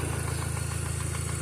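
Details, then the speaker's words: VW Passat B5 at first start after reassembly: light, quick ticking over a steady idle, keeping pace with engine speed; owner first suspected a vacuum leak, then thought it is just a hydraulic lifter. "There's a vacuum leak somewhere, I can hear it. Maybe not. Should just be a hydraulic lifter making noise. Don't be alarmed."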